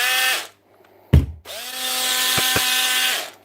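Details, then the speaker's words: Intermittent running on a power drill, in a batch of DeWalt, Bosch and Milwaukee repairs: it runs once and stops, whines up, cuts out, then catches with a coarse, rough whir when kicked; worn brushes suspected. "runs when you give it a kick that means it's just brushes hopefully"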